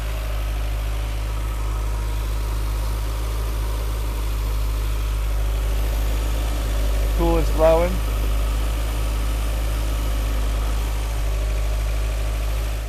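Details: 1985 VW Cabriolet revived after sitting about 8–10 years, with smoke expected to burn off and charging being checked: a low, even idle hum, steady with no misses, knocks or hunting, a normal idle.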